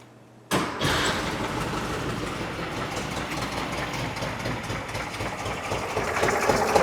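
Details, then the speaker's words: 1968 VW Type 3 with freshly installed 1835cc air-cooled engine, first start after install, not charging: catches at once with a quick burst, then a steady, even chatter with no misses while oil burns off; normal start and idle. "So, I'll try the other one. Still sounds good."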